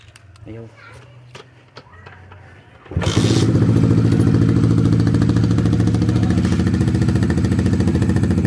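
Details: Honda RS150/Sonic150 motorcycle after an electrical short (smoking negative terminal, blown fuse, no electric start), now fitted with a new Honda Thailand regulator/rectifier charging about 14 V: cranks briefly, then catches and settles into a steady, even putter.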